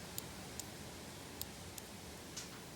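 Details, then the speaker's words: Nissan Skyline R30 with RB engine, after years sitting, injector bench-tested with jumper leads to a battery: sharp isolated high clicks as power touches it, opening and closing fine; injectors suspected gummed up. "I can feel it through the says click click click click so that's that's opening closing fine"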